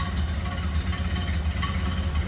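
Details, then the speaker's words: 1928 Ford Model A 5-window coupe four-cylinder, started with choke, heard from the rear: low, even chuff at idle with steady firing, no knocks, misses or ticks; normal idle. "Listen how smooth that runs. And just how you'd expect a Model A to sound."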